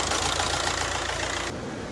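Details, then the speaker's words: VW Caddy 1.9 TDI diesel DSG after turbo change, idling about 5 minutes with heater and blower on full to bleed coolant: steady, even diesel clatter, no misses or knocks; no smoke at idle, no oil leak. Normal idle. "So we've been idling for 5 minutes. We've got no smoke on idle and no oil leak so far."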